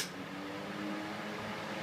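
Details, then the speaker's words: Vent Axia Industrial 12-inch X Type extractor fan from 1940, no backdraft shutters, worn capacitor, run at maximum speed on extract: a steady airy roar with an even low hum, no rubbing or rattle; normal running. "So it's starting to sound like a jet engine. And then maximum speed on intake, extract"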